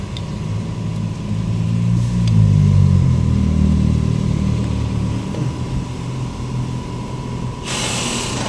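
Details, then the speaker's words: Hyundai Santa Fe/Tucson steering wheel worked slightly: rapid, even clunking about four per second, caused by a worn steering rubber coupler in the column. "Clocking sound mga boss sa Hyundai Santa Punata, Hyundai Tson parehas siya ng problema. Ito konting kabig lang, konting galaw lang. Sabi niya gumagalaw yung ano niya yung yung tawag kasi dito steering rubber coupler ang tawag dito"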